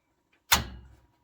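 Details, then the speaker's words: 4-pole DIN-rail contactor with 120 VAC coil, switching 240 VAC gear in a Harris transmitter rack, amp not yet connected, switched on from the power strip: one sharp clean clack fading within half a second; contactor pulls in normally. "So you can hear it click, and you can also kind of see the flash."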